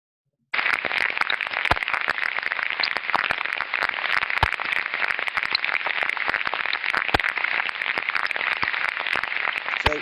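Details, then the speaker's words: Ultrasound on a slow-speed bearing (roughly 10–30 rpm): steady hiss broken by irregular sharp crackles and pops instead of a smooth, uniform sound; a damaged bearing, with a clear tonal change but not necessarily a much higher decibel value. "great you can hear quite clearly a change in the tonal quality but that would not necessarily produce a much higher decibel value"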